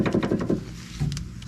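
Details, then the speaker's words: 1985 Ford Mustang LX 5.0 Foxbody, outer tie rod removed: inner tie rod joint rocked by hand gives four quick, loose clunks about six a second; badly worn inner tie rod, before replacement. "listen to that guys that's pretty bad that's really bad"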